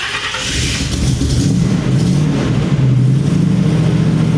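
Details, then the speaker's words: 1979 GMC C35 dually idling at operating temperature after resealing valve covers with rubber gaskets and a thin sealant bead left overnight; steady even low rumble, no ticks or misses, running really smooth. "got her up to temp. She's uh running really smooth and uh really looking forward to this trip."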